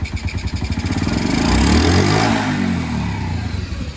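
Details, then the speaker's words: Honda CG 160 motorcycle, hard to start owing to weak fuel, carburettor adjusted: even single-cylinder beat of about four pops a second, a brief rise in revs, then back to a smooth, steady idle; idle now perfect. "perfeito A gasolin tá descendo é só que custou a pegar porque a gasina dele tava fraca"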